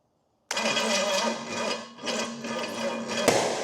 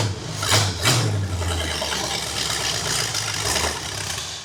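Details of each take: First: Pontiac 455 V8 ($1,500 engine) on first start-up for a 1969 GTO swap, distributor timing being adjusted, starter solenoid sticking on: catches roughly with uneven coughs and a sharp pop; timing suspected off. Popping and coughing while starting. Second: Used Pontiac 455 V8 after oil priming and re-stabbing the HEI distributor, first start: catches with blips then strong even run, no knocks or misses, though starter sounds bad; normal running.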